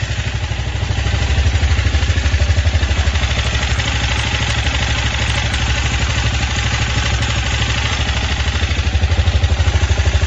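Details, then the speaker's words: 164FMM motorcycle engine after repair (broken third gear, new gearbox, cylinder and piston, new carburetor; earlier knock traced to crankshaft): steady, even single-cylinder thump at idle, no knock, no smoke. Normal idle. "так всё работает Дело было в коленвале стучало то что вот не буду газовать сильно то что вот он на приказ потому что вот работает и не дмит ничего всё хорошо отлично"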